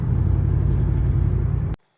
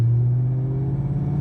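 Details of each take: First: 2003 Ford Mustang Mach 1 in fifth gear at full throttle uphill under load: deep lumpy rumble stumbling unevenly; ignition misfire, coil-on-plug possibly loose or not fully connected. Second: 2003 Mustang Mach 1 V8 after fixing misfires from aftermarket coil wiring: third gear, 25 mph, low rpm, full throttle under good load, deep steady rumble with no misfire or shaker shake.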